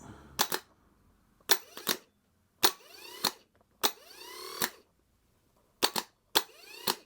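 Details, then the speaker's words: Spare starter motor for a 451 petrol, tested on the bench: repeated sharp clicks, each followed by quick whirring spin-up and wind-down as the Bendix pops out; engages cleanly, not great but better than the removed one. "At least I can show you the Bendix popping out, because this one seems alright. It's not great, but it's not as bad as the one we've just taken out."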